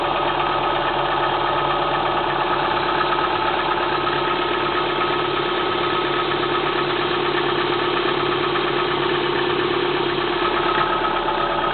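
Cold idle with a soft, loosely regular tapping, under two per second, riding on a steady hum; the source isn't pinned down.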